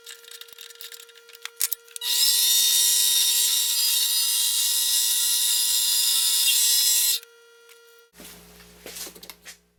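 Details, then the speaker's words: Mini lathe after fixing its noise caused by a loose motor mount, turning 6061 aluminum (reducing and facing): steady high-pitched cutting hiss about five seconds over even motor hum, no chatter or knocking; cutting cleanly. "It looks like I'm back in business and very happy with the way it turned the aluminum."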